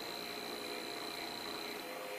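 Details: A motor on a transistor H-bridge driven from a servo's motor outputs via a comparator; faint steady buzz at the roughly 50 Hz square-wave drive under quiet whir, normal switching, buzz stops when all four transistors are off.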